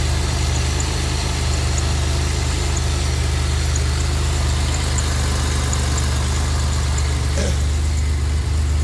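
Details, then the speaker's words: Freshly rebuilt Gen 5 supercharger with intercooler, installed on a 2007 Grand Prix, first startup at idle with 66 intake air temp: steady, smooth low idle with no knocks or misses; sounds much better, a slight exhaust leak noted. "Nice and smooth. Sounds much better."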